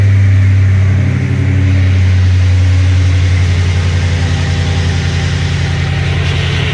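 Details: 2007 Ford F-150 4.6L 2-valve V8 with code P0306: a deep uneven idle lope, a recurring dropped beat and the engine shaking. Cylinder 6 misfire. Swapping the coil gave no change, it ended as a no-parts repair, and the root cause is unknown.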